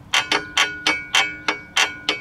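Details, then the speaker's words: Blown engine from a 2005 Chevrolet Trailblazer on a teardown, crank rocked by hand: eight sharp metallic clacks, about three a second. Rod knock from worn connecting rod bearings, with play in every rod. "so this if you hear rod knock and if you go to back to the video you'll hear this thing knocking away this is rod knock right here that's not supposed to do that"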